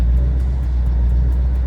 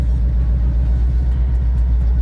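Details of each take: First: 2011 Ford Mustang GT, twin turbo, with N2MB two-step and WOT box being set up: deep, steady V8 burble with an even pulse and no stumbles or pops, settled back to normal running after misfiring on the two-step at 3,000 rpm. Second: 2011 Ford Mustang GT, twin turbo, with an N2MB two-step launch limiter set at 3,000 rpm and misfire logic off. With clutch in and throttle floored, the turbos spool and a loud rumble is broken by uneven pops: misfiring on the launch limiter.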